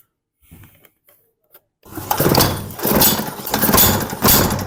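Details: Antique Hoffco Timberline Model T-47 chainsaw, first start after carburetor linkage refit and a cut-down Lawn Boy air filter: a few rattly pulls, then it catches. It runs rough and surges with the throttle, but fires and keeps going.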